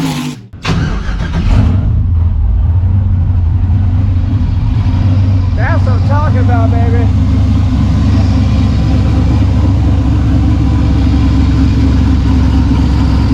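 Catches after a brief crank and settles into a loud, deep, steady rumble through open exhaust, even and strong: healthy running engine.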